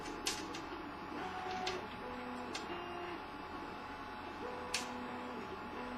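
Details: CTC 3D printer while printing: stepper motors hum in shifting tones, broken by occasional sharp, irregular knocks coming from the top right corner of the printer.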